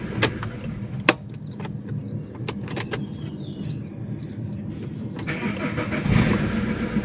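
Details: Alfa Romeo 147 1.9 JTD 8V diesel with hot crank no-start complaint (P1320 sync fault), restarted hot, slightly weak battery: few clicks, short crank, catches immediately and settles to steady idle; normal hot restart.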